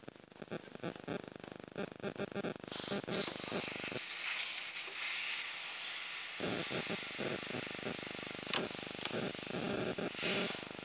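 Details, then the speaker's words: Toshiba refrigerator that cools but won't freeze, compressor warm: after clicks, a strong steady high hiss of refrigerant rushes out of the cut capillary, so the capillary is not clogged; oil smell then points to a condenser leak. "yang jelas kapiler ini tidak mampet ini bunyi putih atau tidak Ini freon"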